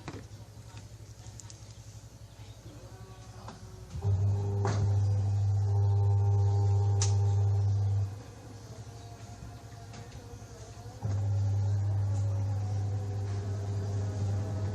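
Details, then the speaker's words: Samsung WA80U3 washing machine after fitting a universal control module, spin cycle after draining: steady low even hum in two stretches with a pause when the lid is opened, no knocking or scraping; spin and lid switch working normally. "Ini mesin spin berjalan. Kita bisa dengarkan suara spinnya."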